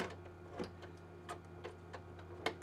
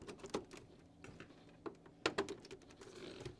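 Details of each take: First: Original Xbox DVD drive tray sticking, mechanism keeps pulling the tray back in: quiet irregular ticks and clicks over a faint hum; fixed by cleaning and fitting a new rubber drive belt. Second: Original Xbox DVD drive after fitting a new rubber drive belt: soft motor whir and light clicks as the tray slides out and back in smoothly; tray works properly.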